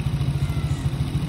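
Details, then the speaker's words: Honda Click scooter, engine rebuilt after a wrong timing mark left it with no power, now warming at steady idle to bleed coolant after water pump removal; low, even putter with regular firing, no ticking or misses. "So ito ngayon, pinapainit lang namin dahil nag-bleed kami ng coolant dahil nga tinanggal namin yung water pump."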